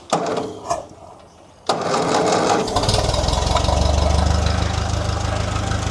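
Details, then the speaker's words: Restored Ferguson TE20 petrol tractor, main jet set 1.5 turns out; runs with rough uneven low beat then falters and dies when throttle opened, fuel starvation: a sediment tube with tiny hole in the new tank outlet only let fuel drip into the bowl. "No, I reckon at the start of the video I said that thing's not keeping up with it. It's only dripping into that bowl. I don't reckon it's keeping up."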